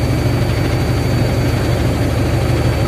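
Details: Hydra BS5 crane, diesel just started: settles into an even, steady idle around three beats a second with a deep, smooth rumble and no knocks or misses; normal diesel idle.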